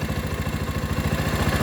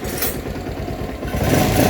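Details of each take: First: Rouser 220 motorcycle that would not start; with the battery disconnected to test charging, idle struggles very low and labouring, slow thumping about nine beats per second, nearly stalling but not dying; idle being raised. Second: Rouser 220 motorcycle, previously not starting, now running with no parts replaced; non-stock 28 carburettor fitted; throttle blips rise and fall cleanly, no misses, knocks or rattles, normal revving.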